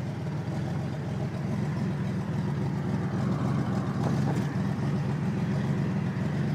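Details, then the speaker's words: 1987 Buick Grand National 3.8 turbo with a cracked, nearly blown-off driver-side crossover pipe leaking before the turbo; rough, uneven idle with loud puffing exhaust beat, runs poorly and cannot build boost. "Okay, so friggin' Dick, the crossover pipe on the GN fucking just blown off. Got a big crack in it. That's what she sounds like."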